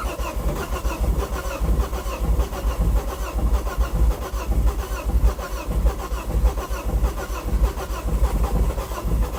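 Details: 2006 Ford Focus ST225, first start attempt in over a year: long steady starter churning under two beats a second, never catches, cranks but won't start.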